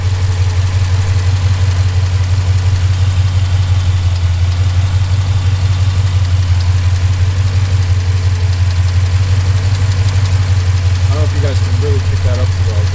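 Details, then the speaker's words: Jeep SRT 392 Hemi V8 (6.4L), after six dealership visits unresolved, at idle: loud, lumpy idle pulsing about three beats a second, faint light tick late on; rough idle with ticking, owner suspects lifter failure. "when you're turning on the car and you're just an idle you can feel how rough the car feels i don't know if you guys can hear the idle honestly it sounds rough"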